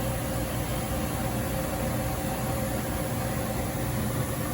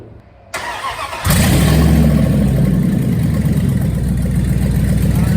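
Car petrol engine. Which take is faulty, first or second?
second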